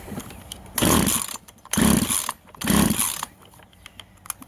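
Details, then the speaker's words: Vintage Husqvarna 136 chainsaw, California emissions model: three short throttle bursts rise sluggishly and bog without clean high revs, still bogging after the low jet was turned out half a turn. Found to be a plugged muffler. "see how she's bogging so the one closest to the motor is always your low jet so we'll turn that one out like half a turn and then we'll see if it runs"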